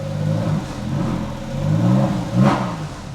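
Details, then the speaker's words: Freshly rebuilt Porsche 911 3.8L flat-six during break-in warm-up, revs held up under light throttle to reach operating temperature, five bar oil pressure: revs rise and fall smoothly and evenly with no knocks; normal running. "man this thing sounds good"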